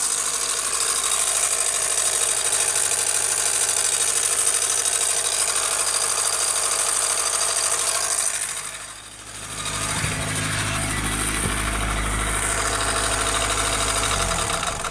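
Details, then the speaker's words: 1991 Acura Integra idling with a harsh, steady knock about three hits a second over a clattery top end; began suddenly after a timing belt change, owner suspects cranking it over too many times, engine considered done. "Sounds pretty awful."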